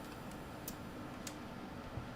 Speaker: it is this one down here right yep that has really fizzed out and this is a 220